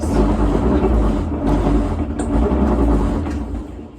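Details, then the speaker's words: Maytag washer model MVWC565FW2 on spin cycle: low rough grinding rumble rising and falling as drum spins slowly and never reaches full spin speed; cause unclear. "It doesn't seem to want to spin. It's making a bit of a grinding noise."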